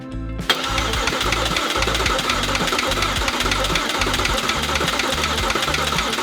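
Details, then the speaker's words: Audi A4 3.2L engine during an engine swap, compression test on cylinder 1: steady even cranking with no missed beats, gauge reads 200 psi. Normal cranking with even compression. "don't know if you guys can see that, but that is 200 psi."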